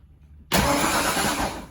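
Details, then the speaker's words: Ford Ranger with swapped 5.0 V8, first key start after wiring the ignition; sudden even starter churning for over a second, normal cranking. "cranks over with the key."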